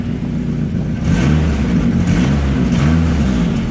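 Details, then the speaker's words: Mk5 Astra VXR converted to a Saab B204 engine, revving: a puffing blow riding on the exhaust note that rises with revs, from an exhaust joint mid-car the converter hadn't touched; a leaking exhaust joint. "That's not from me, that's from a joint in the middle of the car that I haven't touched."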